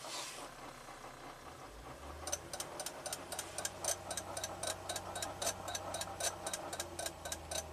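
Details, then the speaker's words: 2004 Toyota Avalon, 1MZ-FE V6, in park above 1200 rpm: faint, sharp relay-like clicks from behind the dash at about seventy-five per minute over a quiet engine hum; throttle dependent, not gear dependent; transmission pressure control solenoid code stored. "so anything over 1200 RPM it starts clicking that blows my mind absolutely blows my mind"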